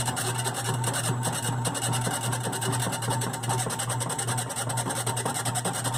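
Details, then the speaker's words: GE washer WDRR2500K3WW right after filling as agitation starts: loud rhythmic rasping grind about two and a half strokes a second, usually clearing after a few minutes; cause unknown. "when the noise occurs is right after it fills and it is about to start the agitation agitation cycle"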